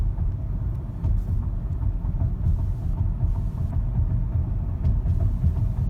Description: 2012 Ford Fusion I4 2.5L makes a soft clunking sound during slow speed when on rough or wavy pavement.